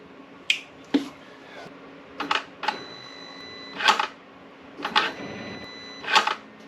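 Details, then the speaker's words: BMW X5 4.8i (E70): sharp single clicks at each key turn with no cranking. The solenoid pushes out the starter gear but the starter won't turn, though it gets a signal and voltage drops on start. Failed starter; new starter ordered. "It sounds like the solenoid is pushing out the starter gear, but that the starter isn't turning."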